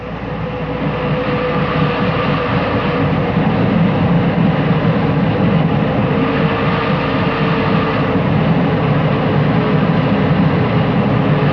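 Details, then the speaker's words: Volkswagen at about 35 mph in neutral with the engine idling, swerving back and forth: a deep rumble swelling and fading from a bad wheel bearing, loudest on the loaded side away from the turn. "This is what we call a ballsy rumble in the book. The sound of a bad wheel bearing. As you swerve the car back and forth, you'll find that it'll be the loaded side, the side away from the way you're turning, that'll rumble."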